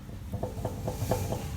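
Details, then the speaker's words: Toyota Prado LC120 after a 4x4 trip, front wheel jacked slightly off the ground and rocked by hand: quick dull clunks about four a second from a failed front wheel bearing with play; hub assembly to be replaced. "And you can quite clearly hear that play in the bearing. So both of those are going to get replaced."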